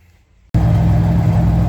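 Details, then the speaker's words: 1988 Ford Bronco II after replacing the brake booster that leaked air at the pedal: starts first try into a smooth, even low idle with no stumble or hiss; runs smoother, owner suspects a vacuum leak was fixed. "It definitely sounds like it runs a lot better. There might have been some kind of vacuum leak or something, because it runs a lot smoother now."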